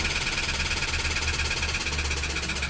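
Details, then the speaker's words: Toyota Wigo that wouldn't start after rain, suspected of sucking in water: rough idle with sharp metallic tapping about seven times a second, steady and even; suspected internal bottom-end knock, not confirmed. "Narinig niyo naman yung ingay ng makina. So patayin natin kung i-start pa."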